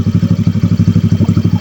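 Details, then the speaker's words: Motorcycle with an Akrapovic pipe, idling just after a cold start. Steady idle beating about twelve times a second with a light side clatter riding on each pulse. The rattle fades after 2–5 minutes of warm-up; cold-start rattle. "Kung napapansin nyo pala guys, medyo malagitik yung brake natin ngayon. Ganyan talaga pag full start pa siya guys."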